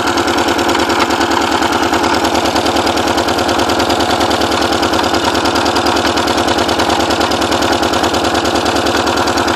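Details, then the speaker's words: Porsche 944 first started after ten years sitting, with all exhaust valves bent when the timing belt tensioner pulley fell off; a loud, lumpy idle with an uneven chuffing beat of about three per second, smoking badly, misfiring. "Doesn't sound happy. Smoking pretty bad."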